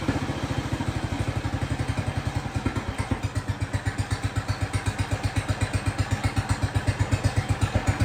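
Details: Jacobsen Chief 1200 tractor, cast-iron Kohler 301 single with a Chinese carburetor, after sitting 3 years, carb adjusted: an even, steady slow-idle thump with every beat on time and no misses, no smoke; normal idle.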